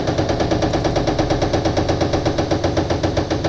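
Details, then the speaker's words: LMTV military truck cab-tilt hydraulic pump, with fluid spraying from a loose nylon fitting: fast, even chattering pulses about six per second; pump deadheading, suspected hydraulic latch pin not unlatching due to leak pressure loss. "Well, she's spraying fluid, but it sounds like it's deadheading like that. Like there's a lock somewhere that we haven't found yet."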